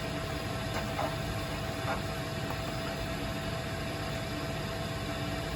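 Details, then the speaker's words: Weil-McLain WM97+ condensing gas boiler on a high-pressure/leaking relief valve call, blower at 4930 RPM (88–90% signal), flame signal 108, supply 103, return 100; steady even blower roar, faint constant tone, no surging, normal full-rate firing. "We're at 4930 RPM right now. We're at 88% or that blower signal."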